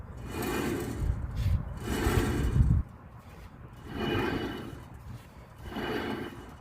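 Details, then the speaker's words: 2020 Ford F250, brake removed, hub spun by hand: rough gravelly rumble swelling with each spin, worn front wheel hub bearing; while driving it gave a rhythmic noise around 10–20 mph. "It's not supposed to make that noise."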